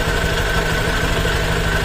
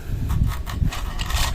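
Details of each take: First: Honda Click version 3 CVT after cleaning, with the cover back on. Steady, even idle hum with a faint belt whir and no creaking or rasping, so it is quiet now. Noise may return after days or weeks, which is described as normal. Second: Honda Click version 3 scooter, CVT opened, noisy since only 1,000 km. Turning the pulley by hand gives uneven raspy popcorn or crushed-ice scraping bursts. The cause is the CVT belt, which has lost its smooth coating and shows marks.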